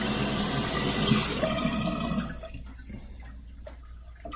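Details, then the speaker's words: Korky basic universal toilet flapper just installed, test flush: water rushes barely two seconds then cuts off abruptly; chain too long so the flapper doesn't lift and float and drops shut early, giving a weak flush; fix is shortening the chain. "Now we want it to work so that we just do one twist and it pops up. So see, that's not doing it. So I've got to shorten this a little bit."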